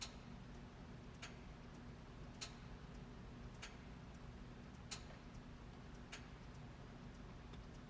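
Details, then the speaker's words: Engine-off preheater test run from the EST diagnostic tool with ignition on: sharp relay clicks about every 1.2 seconds over a steady low hum, activated three times as acoustic feedback; preheater relay switching normally. "So it's activated 3 times, has an acoustic feedback."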